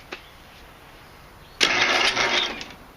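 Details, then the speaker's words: MTD Statesman or Murray Select mower engine: single harsh second-long crank that chokes off abruptly, engine locking at one point in its rotation; seized from a stuck exhaust valve. "Basically, as you saw earlier when we tried to start it up and everything, it kept seizing at a certain p"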